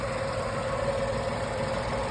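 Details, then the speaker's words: Tata Tiago, 8 years old, 137,316 km, three-cylinder Revotron engine: steady, even idle with a slight rhythmic shake and no knocks or misses; the vibration is normal for a three-cylinder. "तो मैं आपको just engine की आवाज सुनाना चाहता हूं कि 8 साल बाद इंजन की आवाज कैसी रहती है Tago की।"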